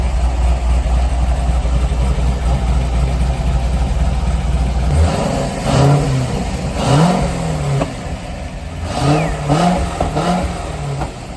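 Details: C5 Corvette Z06 back running after repairs, RPM gauge not working: deep, even V8 burble climbing cleanly through several blips and settling back smoothly; normal idle and revving.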